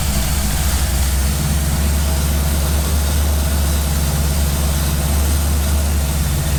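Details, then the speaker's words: Firebird V8 after replacing ripped intake manifold gaskets that caused a big vacuum leak, and finding a broken spark plug: hot, thermostat open, deep steady low rumble with even pulses, no stumble or hunting; runs way better, a normal healthy idle. "seems happier runs it runs way better miles better than it was yeah it's running beautiful now happy with that"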